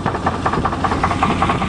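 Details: 1988 Chevrolet truck idling with a sharp, regular knock about five times a second over the engine beat; owner says it has a bad crank; deep bottom-end engine knock at idle.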